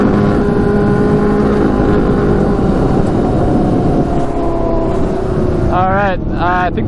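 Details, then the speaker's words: Custom Yamaha Banshee with Suzuki Katana 600cc engine, first ride after Stage 4 rejet: revs rise and sag unevenly, bogging under load, worse than before rejetting. "first ride kind of a disappointment um i thought rejecting it would help a ton but it actually made it worse"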